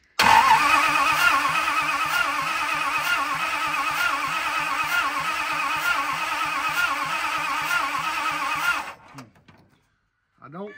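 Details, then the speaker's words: 1970 Dodge D300 wrecker being revived: starter churns steadily at about three beats a second for nine seconds without catching; badly corroded ignition points give poor spark. "I'm putting a piece of sandpaper between these points because they are badly corroded"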